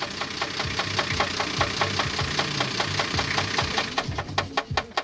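Idling car engine with a sharp, regular knock, about five a second, sitting above the running sound.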